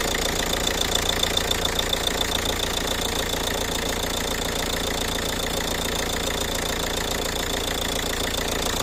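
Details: Ford Kuga engine at idle: steady idle with a crisp, regular tick about three and a half times a second on top; source undetermined; engine knocking at idle.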